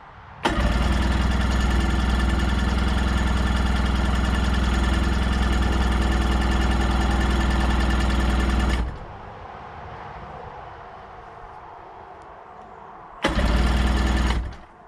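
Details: 1990 Sea-Doo GT, Rotax 587cc yellow engine, non-running unit, on choke: starter whirs at steady four turns per second for eight seconds, stops, cranks again, never catches; crank no start, cause unconfirmed.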